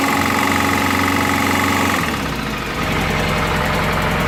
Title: FZS600 engine knock